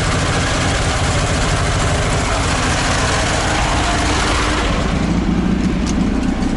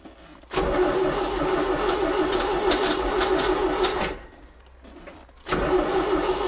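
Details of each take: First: ZAZ 968M after standing, fuel pump repaired and carburetor adjusted: steady, even idle with a dense low rumble and no misses, knocks or hunting. Normal idle. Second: ZAZ 968M after standing two to three weeks: starter churns, pauses, cranks again without catching. No fuel from the return line, so no fuel reaching the engine; the removed fuel pump was not pumping. Crank, no start.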